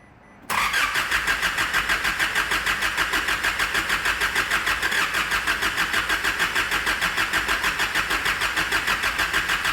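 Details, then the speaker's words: Nissan ZD30 3.0L turbo diesel, over 415,000 km with an untouched bottom end, fires on the second key turn after head gasket repair. It settles into an even, steady clatter with no knocks or misses and sounds healthy. "Well, have a listen to that. Fair income, that sounds good. For an engine with, you know, north of 415,000 Ks on the clock"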